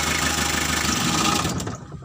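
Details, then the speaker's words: Freshly overhauled Mitsubishi L300 diesel run without radiator, coolant warming: steady, even diesel idle clatter with no odd knocks, then shut down and runs out; normal. "Được rồi các bạn, hãy tắt máy đi vì như vậy là bình thường, chúng ta chỉ cần hoàn thiện nốt động cơ thôi."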